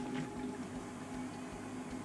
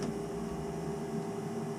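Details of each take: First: Navien NCB-240 combi boiler after circulator pump replacement, at 20 psi and purged; quiet steady hum with soft, even pulse about four a second and smooth rise as it fires; new pump running quiet and normal. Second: Navien NCB 240 combi boiler, about three years old: its circulator pump gives a steady, loud whine, still running but struggling; tech support confirmed it was worn out and it was replaced.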